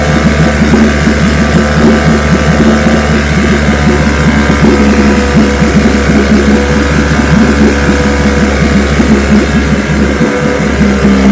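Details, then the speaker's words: Vintage restored-then-repaired outboard on day five of a daily start test, full throttle, started on the second pull after letting the carburetor fill; even, steady two-stroke drone with no stumbling or surging; running cleanly. "All right, that's five days in a row. She starts right up."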